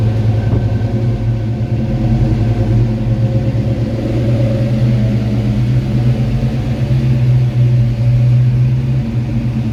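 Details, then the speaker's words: 1986 Ford Mustang after fixes, TrickFlow heads replacing GT40P heads, vacuum leaks and fueling fixed, speed density, mild cam, cold start after hours off: deep, steady V8 burble, no misses or knocks; slight surge expected until warm. "it probably is going to surge just a little bit until it warms up because it hasn't been cranked and you know a few hours"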